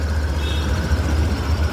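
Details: Engine that would not start and showed no scanner or OBD fault, now running after the fuel pump wiring was bypassed with a wire run to the flasher: low steady idle with even rumble, no misses or knocks; a broken wire is suspected inside.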